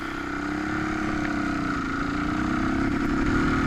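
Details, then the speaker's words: Used Suzuki DR350S single pulling at speed: the pitch sags and wavers and the engine stutters, choking out and losing power while the rider feathers the throttle. The bike was backfiring off throttle beforehand. Cause unclear. "this is when I really start in the significant problems of it just choking out it was losing compression our power"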